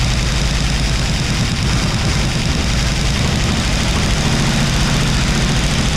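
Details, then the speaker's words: 1957 Ford Fairlane 500 with 312 V8, abandoned car revived: loud, rough low idle with uneven lumpy beat, running on seven cylinders because one valve is stuck open; dead cylinder. "it got a p over here oh all right y' we were going to try to put that valve in but we're thinking better of it let's run her on seven"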